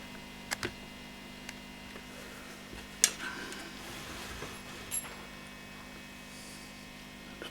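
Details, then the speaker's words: 1960s Selmer Thunderbird 50 MKII amp during refurbishment: steady low mains hum with occasional clicks, caused by a capacitor lead hooking to a 100k resistor and touching the bus bar. "this capacitor here has a lead coming out the end of it which is hooking around and going on to that 100k that lead is touching this this bus bar here"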